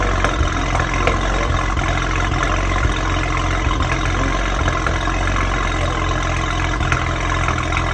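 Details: BMW 335i N54 at cold start: idle with an occasional uneven stumble in the low drone; possible misfire, not confirmed.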